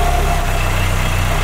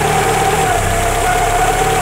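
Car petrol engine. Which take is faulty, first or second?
first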